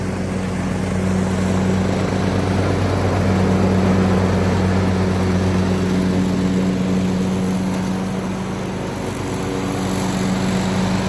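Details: Craftsman YT3000 riding mower with a swapped donor engine, after an oil change, blades engaged: steady, even drone with a smooth low hum and no knocks or misses; normal running, transmission feels solid.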